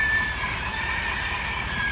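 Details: 2022 Ford F-350 in 4x4, neutral, wheels off the ground and spinning: a thin steady high squeal over the low rumble; stethoscope traces it to the front hub seal, not the U-joint; axle hub seal squeal.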